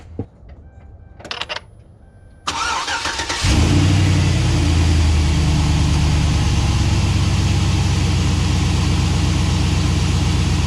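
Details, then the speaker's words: V8 truck after belt dressing was applied to its squeaking serpentine belt: it cranks, catches and settles into a steady, deep idle, and the belt squeak is completely gone. "so as you can see the squeak is completely gone with applying this product right here and it's instant"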